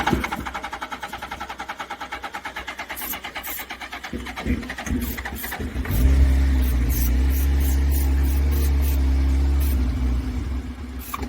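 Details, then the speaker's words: Hayabusa revived after sitting: starter churns in even pulses about three per second, then the engine fires briefly on starter fluid and drops off; the fuel pump is not strong enough to deliver fuel. "it runs off starter fluid so the bike will run it's just not that pump's not strong enough"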